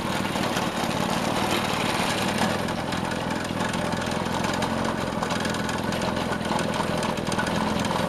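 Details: Vintage Craftsman 18-inch snowblower small single engine at full throttle after carb fine-tuning, driven around: steady even drone with no surging or hunting; running right.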